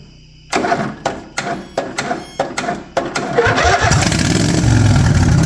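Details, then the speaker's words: Racing lawn mower, cold start after sitting a few months, choked and on a weak battery: hesitant sputtering, then a steady, even idle once warmed up; normal warm idle. "not too shabby once she warms up she idles down really nice there she's idled down"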